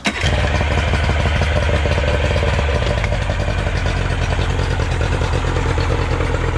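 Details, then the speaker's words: Yamaha 90 outboard after adjustments and a cleanup. It settles into a steady, even beat with no misses, knocks or hunting: running normally. "so after adjusting everything the motor runs uh really good no problems check this"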